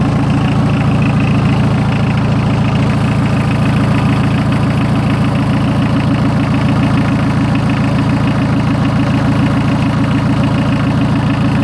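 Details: 43-year-old VW diesel truck, first start in a year on a ten-year-old battery, in neutral: steady, even diesel idle clatter about 3.5 firing beats a second, no misses; healthy.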